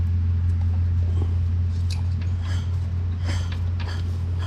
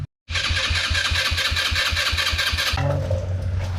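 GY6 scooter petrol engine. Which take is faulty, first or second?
second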